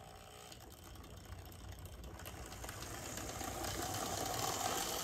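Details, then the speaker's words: Bachmann GP40 model locomotive in CP Rail livery, running with the shell removed: quiet buzzing whir that grows louder as the motor speeds up; motor still somewhat noisy, and the shell amplifies it. "so it's still not the quietest of Motors but it's definitely been Amplified by the shell"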